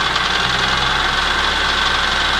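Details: BMW E46 M3 at idle after a broken rod and piston; used block fitted with original head, Vanos and cams; dense metallic chatter over a busy top end, present since the rebuild, cause unknown.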